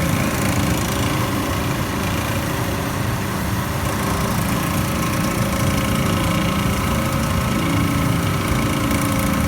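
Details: PAN760SF small engine running steadily with a rough grinding edge that comes and goes over its low drone; the grinding persists even after the fan belt was replaced.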